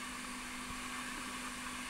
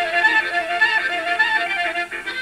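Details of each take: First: Lloyds 8-track player after cleaning, lubrication, head demagnetizing and repairs: only tape hiss and faint hum between songs, little crosstalk, healthy playback. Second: Lloyds 8-track player after cleaning, lubricating and demagnetizing head and track-change mechanism, heads not yet aligned, playing a home-recorded tape: music with a second program bleeding faintly underneath, two tracks at once; crosstalk.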